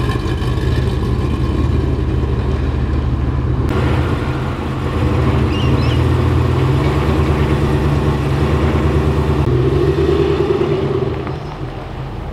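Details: LS V8 swapped into a GQ Patrol with 6L80e, idling and blipped with an uneven lumpy beat that stumbles now and then; persistent misfire, cause still unknown, compression test came back good.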